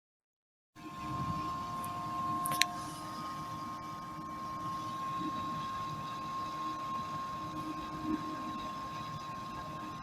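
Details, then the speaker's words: Sunbuck TAV 6188BT amplifier switched on: the internal DC 12 V cooling fan spins at high speed, giving a loud, steady whooshing hum with a thin whine near 1 kHz. "if you on the amplifier you will hear the humming noise of the DC fan inside the amplifier so loud this noise is so disturbing by interrupting my listening pleasure"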